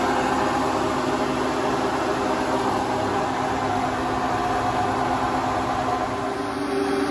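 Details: Hotpoint Ultima WT960 washing machine after a drum bearing change, spinning at high speed (drum join still dripping slightly): even, steady whir with a light hum and no rumble or grinding; the new bearings sound good.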